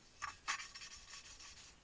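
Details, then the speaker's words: Motorcycle engine valve being lapped by hand with cutting paste and a lapping tool: gritty back-and-forth rasping, rough at first then smoothing and softening as the valve beds into its seat; normal valve lapping. "now it's just getting nice and smooth now we've been nearly ready for the next place"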